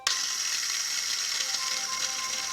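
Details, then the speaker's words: 2001 VW Beetle 1.6 petrol 8-valve, 112,000 miles, during cam belt replacement: removed tensioner pulley spun by hand gives a dry, gritty rasp with faint ticking, a slight bearing noise heard with engine running, a worn tensioner pulley bearing with some play needing replacement. "i think this is uh this is what i could hear when the engine was running it was making a slight bearing noise nothing bad but it's a bit of play in that"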